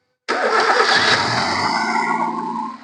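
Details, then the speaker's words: Hyundai i10 petrol at start and idle, with low pickup and struggling uphill: cranks and catches with an uneven, stumbling flare, the engine shaking hard, a severe misfire as if one cylinder isn't working, loud from the silencer; valve cover gasket replaced. "Start ചെയ്യുമ്പോൾ തന്നെ മനസ്സിലാക്കാൻ സാധിക്കും വണ്ടി ഇങ്ങനെ engine കിടന്ന് നല്ല രീതിയിൽ തുള്ളുന്നത് നല്ല രീതിയിലുള്ള മിസ്സിംഗ് മിസ്സിങ് ആണ് വണ്ടിക്ക് ഉള്ളത്"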